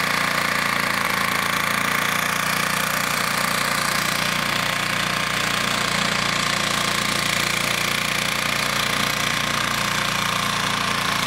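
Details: Vintage Flymo hover mower, governor spring adjusted to about 3,700 rpm, kill switch fixed, cutting frozen grass in snow: loud, high, raspy two-stroke buzz holding steady speed under load, no surging or misfire; normal running.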